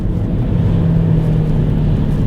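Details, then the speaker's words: 2010 Volvo V50 with Powershift dual-clutch gearbox, nearly 14 years old, driving: steady low drone over road rumble; owner suspects a front wheel bearing (one or both), possibly diff noise, not confirmed. "yeah I would say that's wheel bearing from one of the fronts or both the fronts it's not the worst one I've ever heard"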